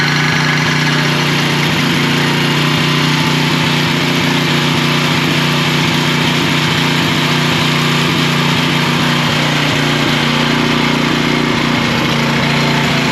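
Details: Troy-Bilt 6.75 HP tiller, model 21A-644H063, engine chugging steadily after starting with starting fluid: uneven rattling knock from the back side, caused by an overlong guard bolt catching a moving part.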